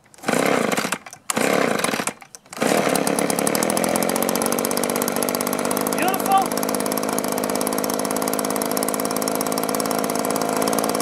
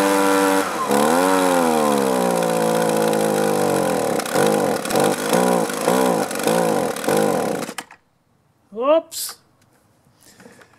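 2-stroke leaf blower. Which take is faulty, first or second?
second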